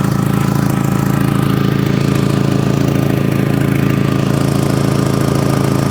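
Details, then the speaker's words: Audi TT idling after fitting a new exhaust with a sleeve: regular slightly puffing pulse about three times a second; leak located at the front, at the downpipe, where fumes can be felt and smelled. "it sounds like it's blowing from right up front it's not blowing in the middle it's not blowing at the back it's definitely blowing from up front somewhere"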